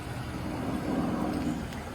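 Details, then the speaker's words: 82k-mile Chevrolet Lumina whose running problem was simply being out of gas, refuelled: quiet, low, steady idle with no misses, knocks or hunting. "You can hear it's still sitting there idling,"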